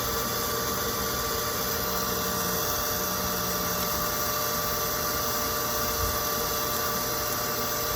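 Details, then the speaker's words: Pump refilling a drained, waterlogged holding tank after pressure switch refit with new Teflon tape: constant motor hum with steady high tones, no cycling or cut-off; owner waits for shutoff, worried the pump is getting hot. "That will shut off at a moment. Like I said, I don't know how long he had it running for, so it's a waiting game. Make sure that tank that pump ain't getting too hot. So, it's been running for a whole hot minute now."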